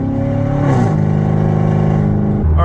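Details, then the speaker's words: Chevrolet Corvette C7 Stingray with hacked-up factory exhaust and a massive exhaust leak, check engine light on, accelerating from a stoplight; very loud raw V8 roar climbing through the gears, painful cabin drone. "the Drone in here legitimately hurts my ears right now I'm at a stoplight I noticed I'm already yelling"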